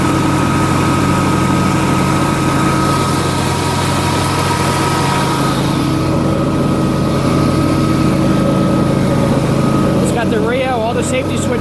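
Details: John Deere LA150 lawn tractor nearing 300 hours, mower deck engaged with Gator mulching blades: loud, steady deck roar over the engine with no knock or grind; strong suction makes it naturally loud, two spindles replaced, bearings decent. Normal deck running.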